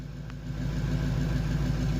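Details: Bus engine just started first try with booster on the battery: steady low rumble settling into an even idle, no misses or knocks; running normally.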